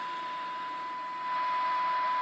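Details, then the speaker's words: Kraco KCB-4030 AM-only CB radio, speaker output through dummy load to service monitor: 1 kHz test tone at 1 microvolt buried in hiss, only about 13 dB SINAD, 12 dB SINAD near 0.9 microvolts; weak receiver, alignment expected to improve it. "So yeah, at 1 microvolt, it's only around 13 dB synad."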